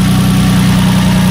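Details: 2006 Nissan Murano with a cylinder 2 misfire, test-fired after replacing the coil pack: steady, smooth low idle hum with no stumble or skipped beats; idling evenly.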